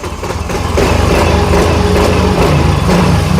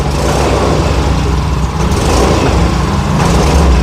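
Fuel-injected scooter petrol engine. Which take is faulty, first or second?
second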